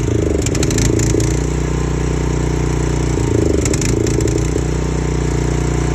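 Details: 4 gpm pressure washer engine: low, lumpy idle with uneven beat and loose rattles over the drone; rough idle.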